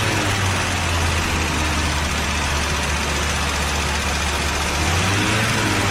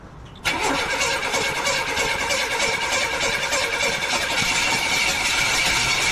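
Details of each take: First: 1982 Buick Regal, engine running for the first time in over 25 years: a steady, even deep idle rumble with no knocks or misses; the smoke comes from oil spilled on the manifolds. Normal idle. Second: 1982 Buick Regal unstarted for more than 25 years, being cranked while the timing is adjusted, the pedal pumped for fuel and the electric choke opened: the starter spins steadily for several seconds but the engine never fires, because the ignition timing is incorrect.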